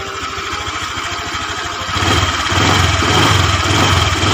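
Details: Honda Vario 125 injection scooter after a no-cost fix for radiator coolant spraying out when hot and low power. Engine warm; an even, steady putter that firms up as revs settle, with no misses or knocks: normal idle.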